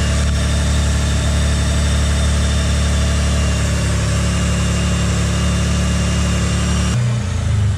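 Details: Mitsubishi GTO at idle, owner suspects a boost leak and changes intake manifold gaskets: loud, deep droning idle with an uneven pulsing hum that shifts near the end; abnormal idle noise, cause unclear.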